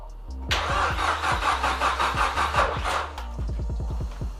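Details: Nissan S13 200SX CA18DET, after a fallen pin let the cam belt jump a couple of teeth: starter cranks with loose, uneven chug about three beats a second, never catches; crank no-start, timing badly out.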